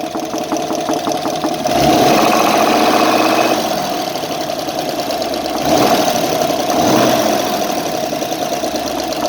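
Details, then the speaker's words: GAZ-66 engine, warm, after water got into the crankcase: light regular knock about four a second at idle, loudest at front cylinders, oil pressure warning lights on throttle; owner suspects a worn connecting rod bearing. "Я думаю, что вкладыш на каком-то из шатунов. Ну, то, что мне кажется."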